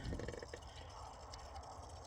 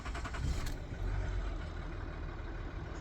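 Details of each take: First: 2011 Ford Territory 2.7L V6 diesel with failed in-tank fuel pump, priming by hand pump; quiet rapid knocking and gurgling as fuel pushes through the line. Air in diesel fuel line being purged. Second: 2011 Ford Territory 2.7L V6 turbo diesel with a dead in-tank lift pump, air bled from the fuel system by vacuum on the return line. Brief crank, then it catches and settles into a steady low diesel rumble; not stone cold.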